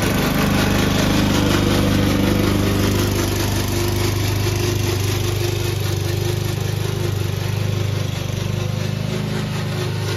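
Steady single-cylinder mower drone with a busy rattling racket on top, even at about 3.5 beats a second, pointing to a noisy drive.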